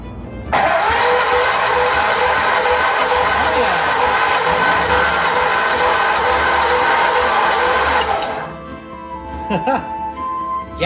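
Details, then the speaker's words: Ford flathead V8, first turnover with the starter during rebuild, before running, compression gauge on cylinder 1 reading 150: steady cranking with about four even compression pulses a second, no drag or clatter; normal cranking. "Yay. Turns over. Now, let's see if we are getting compression in our cylinder."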